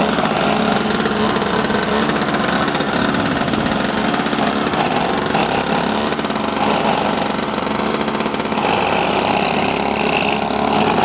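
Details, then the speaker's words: Toro Powerlite two-stroke snowblower after fuel system overhaul (fuel and primer lines, carb fuel bowl, intake gaskets, spark plug, drive belt), warm restart: steady, even drone with no misses or surging; running properly. "Okay, it's running great. And all over the spinning fine. Looking great, no problem."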